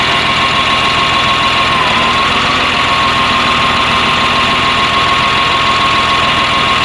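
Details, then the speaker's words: Caterpillar 950H wheel loader diesel idling loud and uneven with a lumpy beat about three a second under a steady whine after starting; error code 36 (engine) flags number one injector open/short, dead cylinder from the failed injector, low power. "if the operator is not concerned about the engine power or power of the machine they ignore about that so there will come less power of the machine because one injector is not functioning"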